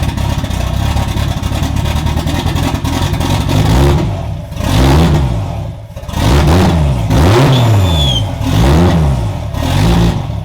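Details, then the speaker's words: Budget 2JZ-swapped BMW E36, idling lumpy and uneven with throttle blips at just over 40 psi fuel pressure during troubleshooting; rough idle persists, and the owner suspects a bad MAF because unplugging it makes the engine rev up and die. "definitely still has a rough idle just a hair over 40 psi on in fuel pressure"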